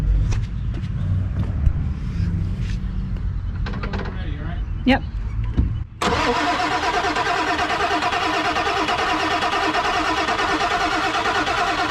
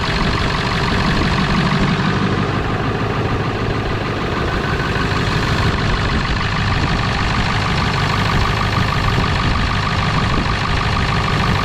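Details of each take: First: Non-running 1997 Ford F250 4x4 with 7.3L Powerstroke diesel, being revived: steady, slowish cranking about once per second after a pause, never catches; cranks but won't start, cause unconfirmed (enough high-pressure oil hoped for, possible leak at petcock valve noted). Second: 1997 Ford F250 4x4 with 7.3L Powerstroke diesel, revived after not running: deep low diesel rumble at a fairly even idle with no knocking; runs normally despite a big fuel leak, probably at the petcock valve.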